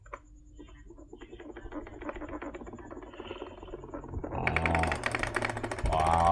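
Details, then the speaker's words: Cosmos electric fan on speed one, before disassembly: loud uneven crackling rattle over the motor hum, harsher with speed; owner suspects worn bushing, later replaced along with the 8 mm shaft. "Jadi suaranya berisik banget. Di sini ada beberapa faktor atau beberapa penyebab, bisa juga ini baru dianalisa atau baru saya prediksi. Mudah-mudahan kerusakannya antara bosing aja gitu."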